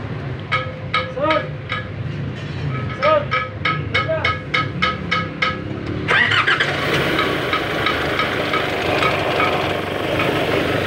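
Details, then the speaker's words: Nissan Navara that had a grinding engine noise, after replacing a rusted pulley and bearing: a few ticks while cranking, then smooth even running with no grinding; noise gone, normal. "So ayun guys, wala nang ingay."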